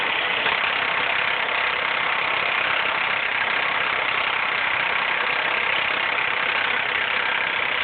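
Hard, metallic rattle chatters steadily over the idle at a loose rhythm; a loud front-of-engine racket, source not confirmed.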